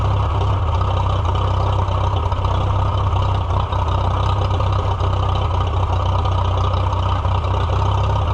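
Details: Farmall F-12 tractor on steel, auction find being revived, air tube off, rusty tank, possible rust in carburetor: low, somewhat uneven rough idle before dying; owner suspects the choke, fuel or carburetor problem unconfirmed.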